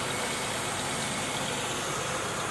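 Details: 2002 Buick LeSabre, first start after replacing upper intake plenum, lower intake and valve cover gaskets, EGR chimney, thermostat, PCV valve and coolant elbows; old leaked oil burning off exhaust manifold; steady even hum, no knocks, ticks or misses: normal idle.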